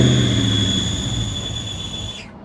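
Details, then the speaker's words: Modded Mustang GT converted from automatic to manual, with a very heavy clutch: steady high-pitched squeal over the engine with the clutch pedal pressed, winding down in pitch as it stops; suspected throwout bearing. "That's a throwout bearing. That's a throwout bearing. We really should not drive this."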